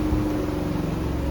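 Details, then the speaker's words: Twin-tub washing machine, formerly with dead wash tub and slow spin tub, after repairs including capacitor replacement, spin-dry test: quiet, even hum with steady low tone, no knocking or scraping; spin motor turning normally. "โอเคเดี๋ยวตอนนี้ครับปั่นแห้งกันนะครับลองดูครับอ่าก็เรียบร้อยก็ได้ครับ"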